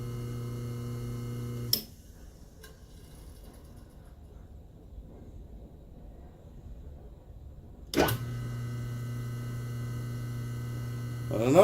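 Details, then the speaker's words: Atlas 10-D lathe motor after bearing repair: smooth, even low hum that cuts out then spins back up steady, no rumble or ticking; purrs, sounds much better, slight contact jiggle noted. "a beautiful sounding motor right there purrs like a kitten folks that sounds way better"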